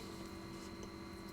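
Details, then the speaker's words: Classic Mac II internal cooling fan at a steady hum with a thin high whine, before swapping in a premium Noctua NF-A6x25 60x25mm fan; hard drive already replaced with a SCSI device, running System 7.5; noisy cooling fan hum. "what I have uh to try and get rid of this sound or this annoying hum is bought a premium fan didn't realize that was a thing"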